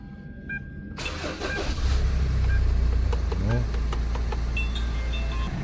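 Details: Hyundai Tucson with an intermittent crank/no-start that was traced to a faulty key remote: after the fix, the starter cranks briefly and the engine catches within a second, settling into a smooth, even idle. Normal start.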